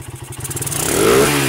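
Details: Suzuki Satria motorcycle, previously would not rev and sputtered badly with the battery removed, now running without battery on an aftermarket regulator: quick, clean rev-up with firing pulses closing together smoothly and no stumble; fault traced to the stator spool coil.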